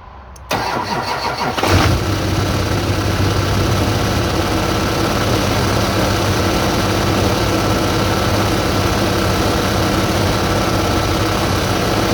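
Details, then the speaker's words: Chevrolet Duramax diesel before idler pulley replacement: it cranks and catches, then idles steadily with a constant hum laid over it; the two belt idler pulleys are suspected. "So I think that humming noise is from those idler pulleys. We're going to try to fix those."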